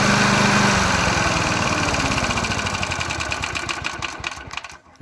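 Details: 36-year-old restored lawn mower with the fuel tank cleaned and refilled and the spark plug cleaned, started at half throttle: small single-cylinder engine pops into life and runs at an even beat before dying away; normal running.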